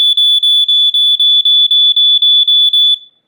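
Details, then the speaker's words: New Sunbeam 45 7A smoke alarm with piezo horn, unboxing test: loud piercing high beeps about four per second, a dozen in three seconds then stopping; alarm sounds normally with a pleasing pitch. "there we go that's the pitch I like too nice"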